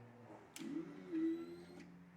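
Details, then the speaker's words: BMW R1150R motorcycle after sitting five years with a no-crank no-start complaint: at key-on a short, faint electric hum for about a second as the fuel pump primes and builds pressure, then shuts off; normal fuel pump prime. "You're going to turn the key on, and you'll hear a fuel pump go, meh. It'll prime fuel through the system, build pressure. Once it builds pressure, it'll shut off."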